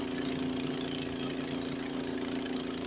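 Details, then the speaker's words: Honda HS80 snowblower, fast throttle at the 3600 rpm spec, first gear taking a full bite: steady engine note with no bogging or sag, throwing snow 30–40 ft. "it doesn't appear to be bogging down at all and as you can see it was throwing it much further"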